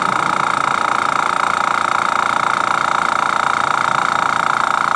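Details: Master Airbrush TC-40T airbrush compressor, new, first pressure-up test after fitting the largest adapter to a Paasche airbrush: fast, even pulsing hum over a steady mid-pitched whine, no knocks or rattles; building pressure normally.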